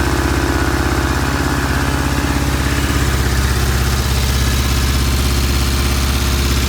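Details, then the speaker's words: Vintage British twin motorcycle on first start after work: it idles at 2,000 rpm with the throttle fully released, cable clearance in spec, idle screws fully out, ignition timing checked and good oil flow. Idle too high, cause not yet found. "all right I've done the first start the bike is idling at 2,000 rpm I have completely released all the tension on the throttle is look no drag on the throttle"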